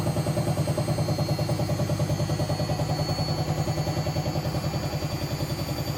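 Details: Hotpoint BHWMXL145 washing machine on a test spin. Heavy rhythmic thumping, about three beats a second, pulses through the spin drone. Two drum spider arms are snapped, letting the drum wobble. It was first reported as bad bearings, and the drum is also cracked at the back.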